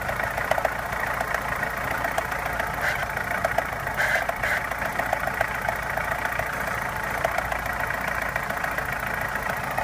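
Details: Opel Omega A Caravan 2.0 at steady idle, owner hears two knocks, one diesel-like and one tapping: light irregular tapping with a harsher clatter over it; source unclear.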